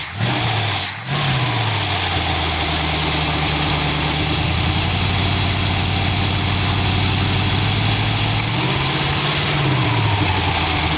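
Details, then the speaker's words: 1914 Dodge roadster with newly fitted dual-quad Holley carbs, driveway test after jet and spring changes; uneven stumbling miss on light throttle that clears on the next step up; front carb seems fine, owner suspects air bleed. "you can hear it when i just give it a little bit of gas it misses and it hits a the next uh step up it takes off good"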